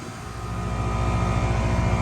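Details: Goodman 3-ton condenser, 7 years old, running after repair: steady low hum, even pulsing compressor drone, no rattles or chatter. Unit running normally, and the customer reports it cooling great.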